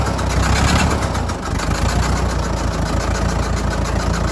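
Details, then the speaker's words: Fordson Major diesel tractor, run again after sitting untouched over 20 years, radiator just refilled: chugging, uneven, lumpy idle that hunts slightly; rough running after long storage, left running to see if it smooths out. "so we're just gonna fire it up again and see if we can just leave it running for a little bit longer and just to see if it smooths out at all"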